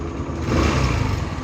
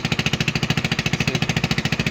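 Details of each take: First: AXXO Viper 180cc scooter after replacing the exhaust gasket and retightening the bolts with lock washers: smooth, even exhaust note that is nearly silent at idle and slightly louder when accelerating, with no rattle or leak; normal exhaust. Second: AXXO Viper 180cc scooter at idle: sharp, even puffing ticks about twelve a second over the idle, hard pulsing chuff; exhaust leak from loose exhaust bolts and joint, before retightening and gasket replacement.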